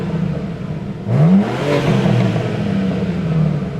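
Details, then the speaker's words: Car with newly fitted shop exhaust, muffler not yet done; brief crank, sharp rising rev flare, then steady even deep idle: healthy start-up and rev. "Little bit better. I think he still needs to do the muffler, but definitely wakes the car up and uh gives a nice performance bump for people looking to keep these things from getting too boy raceresque."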